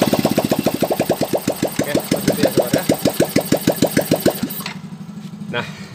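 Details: Yamaha Fino scooter test run after replacing rear axle, crankshaft and pulley shaft seals, exhaust not yet fitted: loud, open popping beat at about three per second for four seconds, then cuts out; runs fine, just no silencer.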